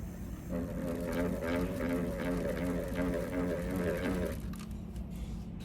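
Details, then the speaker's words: Pottery wheel trimming: tool held far from its head and tilted, other hand bracing, wheel speed slightly increased, so clay pushes the blade and it vibrates; buzzing, fluttering rattle over the wheel's low hum as the tool chatters, leaving chatter marks. "If you tilt it, the clay is going to push your tool and your tool start to jump like this. Okay, watch here, right? I hold it and then I my other hand is bracing here and slightly increase the speed of and you will hear the sound of a chattering."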